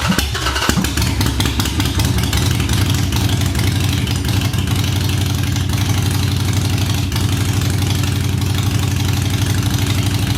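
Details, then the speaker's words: Reassembled Harley-Davidson Sportster started on a jump box after a fuel problem was fixed: deep, steady loping potato-potato idle at about four pulses a second; a healthy V-twin idle. "we got the potato potato potato sounds good throttle works"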